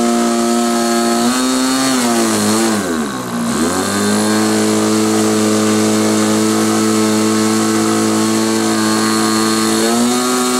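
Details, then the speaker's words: SIG Kadet LT-40 RC aircraft glow engine during first break-in run, mostly run at full throttle while seeking a good idle: buzzy steady high pitch dips briefly and recovers with a soft blubbery edge; mixture too rich, a friend agreed. "realized that uh what was going on um was it was too rich"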